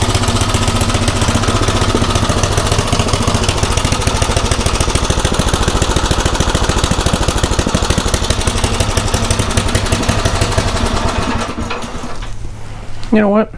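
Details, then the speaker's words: Craftsman rototiller single-cylinder after tune-up with a new aftermarket carburetor, idle screw raised, mixture set about 1–1.25 turns in from original; even, steady chug with no surging or misses, then clean shutdown, running much better. "think i'm pretty happy with that so yeah it's running a whole lot better"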